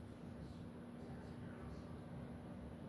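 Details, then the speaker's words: 52" Home Decorators Tahiti Breeze ceiling fan on high speed, mounted on a truss system: a steady low hum sits under quiet airflow, even with no ticking. The motor hums noticeably every time it goes to high in either direction. "I really don't know if you guys can hear it hum every time it goes to high on any direction, but it's humming pretty decently."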